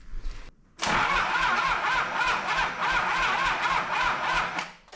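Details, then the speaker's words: Toyota 2H diesel from an HJ47 wreck cranks evenly at three to four beats a second but never fires; they suspected an airlock and the battery, but the injection pump rack was later found stuck closed. "so you reckon you've got diesel past the pump so why does it not go any further though no well now it will because it had an airlock in it"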